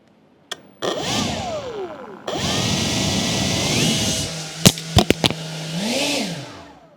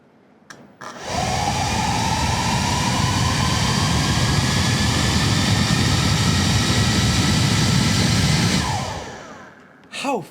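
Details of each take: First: Atlas 40V brushless lithium leaf blower at its slowest variable-throttle setting: low, even motor hum amid handling clicks, then a smooth sweep up toward high speed. Runs cleanly; normal low-speed running. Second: Atlas 40V brushless lithium leaf blower with its variable throttle control disconnected: starts at very low RPM, then the motor whine climbs slowly and steadily on its own over the airy blower rush. Uncommanded motor speed creep.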